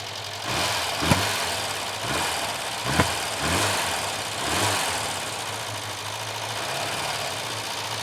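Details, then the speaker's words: Chevette barn find on first drive in over 10 years, first gear: rough idle with intermittent stumble and popping every second or two, slight misfire; owner suspects timing or plugs. "Definitely misfiring still slightly. Not a massive miss."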